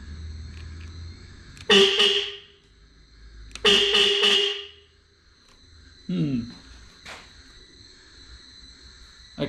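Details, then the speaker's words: KTM Super Duke with a non-working horn, horn wired loosely back in: loud bright tone that pulses rapidly instead of holding steady; a poor contact was found and suspected as the cause. "it's loud give it that much but it's not holding continuous it's making a pulsing thing"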